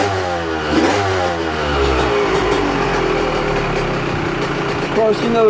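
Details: Two-stroke 125 on its first fire-up after a fresh top-end rebuild, choke on, first heat cycle in a closed shop: crisp crackle revving up and settling, clean throttle pickup, no knocks or rattles; running as it should.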